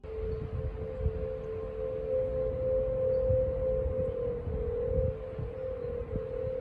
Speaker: yes you heard that right the golden gate bridge is humming whistling or whatever else you want to call it but it is clearly making one of the creepiest and eeriest noises imaginable